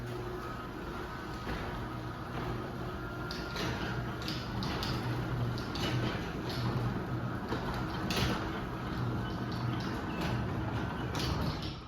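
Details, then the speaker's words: Craftsman 139.53964SRT belt-drive garage door opener running the door: low, even hum with soft rumble, no grinding or clunks; a bit louder than some of the owner's other openers but still quiet, normal running. "But yeah, it is still very quiet. This opener has always been a little bit on the louder side, especially if you compare it to like my 1280R and my 3280 and those machines, but it still is pretty quiet."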